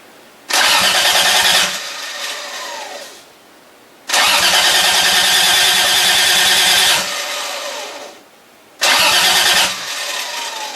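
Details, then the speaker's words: Project engine cranking for the first time, battery connected, accessory on, fuel system not yet done: three strong cranking bursts with quick even compression pulses and brisk steady starter speed; normal cranking. "is just a battery off accessory on and your goes crank oh my god did you hear that"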